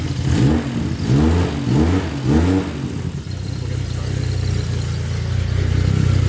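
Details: Nissan GTR after a six-day build: three quick throttle blips rise and fall cleanly, then a steady, even idle with no knocks or misses; engine running fine.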